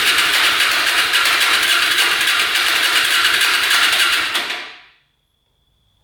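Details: Hyosung Aquila 250cc motorcycle, fresh oil, fuel pump working: fast, even starter churn, about 3.5 beats a second, never catches; fuel leaking from the exhaust pipe, engine flooded.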